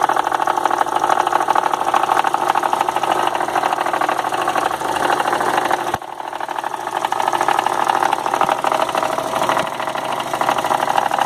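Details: 2002 VW Golf 2.0 idling with a steady light knock, about three per second, over a smooth hum; it began after 1300 km of travel, comes and goes, stops when the AC is switched on, and the source is not yet found.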